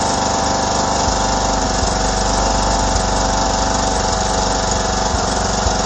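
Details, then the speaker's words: 2009 John Deere LA105 lawn tractor with Briggs single-cylinder engine, after oil and filter change: holds a fairly steady, smooth idle with slight unevenness, about 80% improvement; normal running. "I can already tell about an 80% Improvement in the way the engine"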